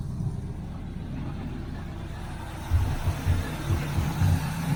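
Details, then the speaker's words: 1981 Chevrolet Camaro Z28 V8, carburetted, after fixing electric fuel pump mounted at rear near tank, filter now full: steady low rumble picking up after a few seconds and running evenly; carburetor and distributor still need tweaking. "Okay, I got plenty of gas coming now. Filter's full."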